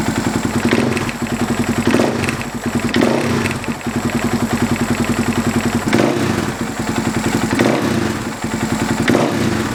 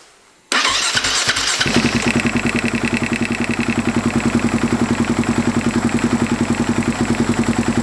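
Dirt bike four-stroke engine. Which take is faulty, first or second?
second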